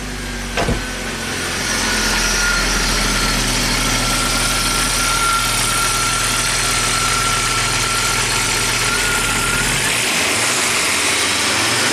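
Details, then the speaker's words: Rare abandoned Audi turbo, cold engine in neutral, reluctant to rev: even, steady idle with no stumble, only a faint high whine from the noisy fuel pump; normal idle. "here run ni and smooth pump these guys back on sweet the fuel pump is noisy but it's running so pretty neat"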